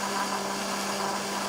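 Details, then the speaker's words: DIY 3D printer Z-axis moving up and down: a steady buzzing hum with a sharp tone near 200 Hz. Owner attributes the noise to the noisy DRV stepper drivers and hopes Trinamic drivers will be quieter. "that sound right there is actually the z axis because the drv drivers are really noisy"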